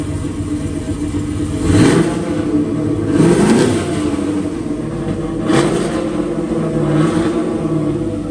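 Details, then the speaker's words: Same turbocharged engine after the spark plug wires were reconnected. It picks up cleanly through several quick throttle blips and settles back evenly with no misfire; it runs properly now and the turbo is very quiet. "I was wondering why you didn't really hear the turbo much and maybe that's just how it's going to be but there it is oh it's so [Music]"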